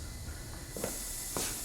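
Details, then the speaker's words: 2003 Honda Element under leak-down test, another shop having diagnosed a burned valve: steady airy hiss from the plugged tailpipe as cylinder pressure escapes past a burnt exhaust valve, possibly cylinder two. "huge buildup of there in the tailpipe look at it's completely blowing through here and this is our result"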